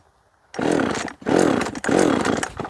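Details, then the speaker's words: Jonsered 525 chainsaw after carburetor settings checked (low screw at 1.5 turns): three clean, crisp revs climbing and dropping evenly, no stumble or bog; owner thinks it was previously just tuned poorly; clutch later found backed out; normal running. "I may have just simply had it tuned poorly before um because that's pretty nice"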